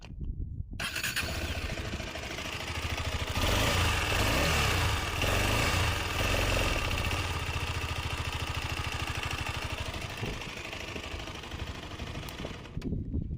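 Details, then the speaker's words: KTM Adventure 250 after timing chain replacement: short crank, catches and settles into a steady, even idle with no ticking, rattle or chain slap; engine noise gone, normal idle. "ఇప్పటికి ఎలా ఉందని పర్ఫెక్ట్గా అయితే ఉంది. మనకి sound అయితే ఎటువంటి noise అయితే లేదు ఇంజన్లో."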